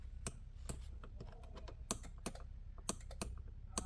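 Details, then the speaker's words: Mercedes CLK W209 electric headrest, key in ignition: sharp single clicks from the seat module relay under the seat each time the switch is pressed, no motor hum after; headrest doesn't move, mechanical fault in the adjustment mechanism suspected. "so when we use this button up and down and we hear a click from under the seat which there is the seat module there"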